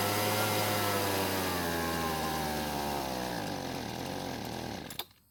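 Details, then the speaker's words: Husqvarna leaf blower that started one day but not the next: the two-stroke runs a few seconds on partial choke, pitch sagging before it dies with a pop; too lean, seemingly wanting more fuel. "now by the way it's acting I feel as though it wants more fuel to stay running and that's because the choke is basically giving more fuel to the engine by reducing the air and with it in partial choke it means less fuel"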